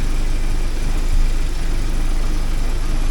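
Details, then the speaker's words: 1979 Porsche 924 warming up after being started: low, steady idle rumble with no misses or surges, idle coming up as it reaches running temperature. Smooth warm-up idle. "see what it gets up to for running temperature for running they're starting to be happier running"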